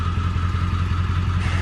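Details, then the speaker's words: 7.3 Powerstroke diesel at idle after IPR replacement: a steady, even low rumble with no knocks or misses. It gives blue oil smoke when cold and some haze, but runs fine with no power loss. "We're gonna run this filter, and I mean, the truck runs fine. Like, besides just a little bit of haze sometimes, the truck runs fine. Like, it doesn't have a loss of power."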